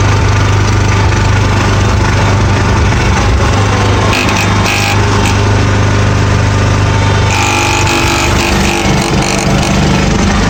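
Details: John Deere 300 hydrostatic tractor, engine at full RPM with the hydro lever moved forward: coarse grinding rasp over the drone, worse uphill or pushing into snow, drives fine both ways; driveshaft grinding suspected, unconfirmed.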